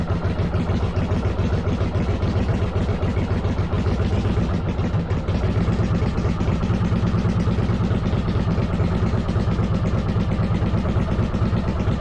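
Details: 1995 Yamaha Virago 1100 V-twin on half choke after cleaning vacuum lines and EGR-type valve: loud, lumpy, irregular stumbling beat; owner suspects carbs not synced, doubts timing, notes it ran better than before.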